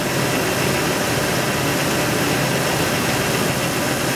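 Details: Jeep 4.7 after a cam sensor no-start fix, now starting and idling evenly with steady hiss and hum, no misfire stumble or knocking; normal idle.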